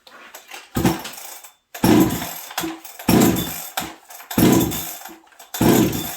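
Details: Stock Husqvarna 372XP chainsaw fitted with a UFO muffler, running in very cold winter weather: revs up in bursts with short hesitant dips coming off idle. The low-speed jet is set slightly low, causing a small stumble unrelated to the pipe.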